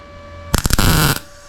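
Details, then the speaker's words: MIG tack weld on a rust repair panel, gun leaned over and trigger held about one and a half to two seconds; a short, steady frying crackle, then silence: a clean, well-set tack. "Like a one, two. You just hold the trigger for like one and a half, two seconds."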